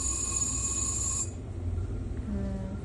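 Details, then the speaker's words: Galaxy ultrasonic probe sonicator with sound-proof chamber, 6 mm probe, pulse mode: thin steady high-pitched whine for about a second, cutting out as the pulse stops; bubbles forming, normal operation. "അതാണ് procedure. അൾട്രാസോണിക്കായിട്ടുള്ള സൗണ്ടിൻ്റെ കാരണം അവിടെ bubbles create ആയിക്കൊണ്ടിരിക്കും."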